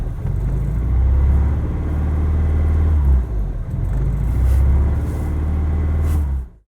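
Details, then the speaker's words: 1991 Honda Prelude Si after new NGK spark plug wires and plugs, still misfiring: low, lumpy idle that chugs, surges and sags as if about to stall; rough low idle with surging. "This is how low it idles. A rough idle, shaking very. It feels like it's about to stall is what's happening."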